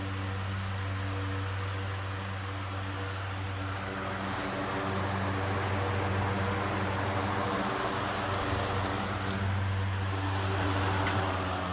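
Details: Antique Roto-Beam 20-inch circulator fan, circa 1937-1940, wall-mount converted to pedestal; at full speed a steady, even motor hum with low mains buzz and soft air rush, fairly quiet, no knocks; startup rumble suggests worn bearings, otherwise normal running.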